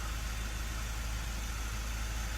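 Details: Mazda 3 diesel after repair for a P258B code, brake servo now working perfectly: low, steady idle with an even rumble and no knocks or hiss; healthy, settled idle.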